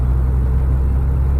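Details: Mini Cooper S manual during a driving lesson: deep, steady low rumble with almost no higher engine note; engine lugging at low revs after missing third and shifting from second into too high a gear.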